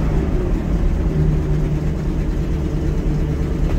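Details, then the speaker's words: 1980 Ford LN700, 370 big block V8 four-barrel, after sitting a few years, hand throttle tried: steady even low drone, no knocks or misses; runs pretty good despite known bad exhaust leak. Normal running. "seems to run pretty good not too shabby"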